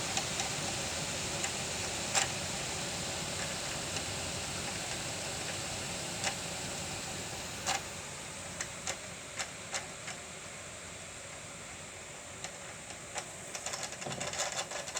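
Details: Second-generation Yamaha TMAX 500 front wheel spun by grinder, no play, bearings look fine: irregular light ticks over steady hiss, thickening into rapid clicking; noise vanished with sensor bushing removed, returns when refitted and greased; wind-whistle whine above 40 km/h.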